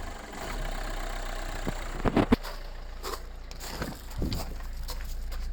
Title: Megane Mk3 1.5dci k9k engine rough idle